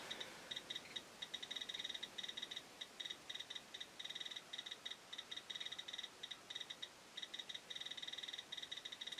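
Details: Chinese BR-6B Geiger counter (maxes at 99.99 µSv/h) on a radioactive sample: rapid, irregular high-pitched ticks, several per second, over a quiet background; working normally on a strong source.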